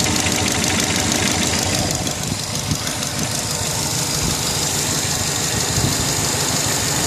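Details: Subaru Legacy GT idling with a steady, rapid knock about three a second over a hissy, busy running sound; owner suspects the turbo but wants to rule out piston slap or a big end bearing. Cause not confirmed.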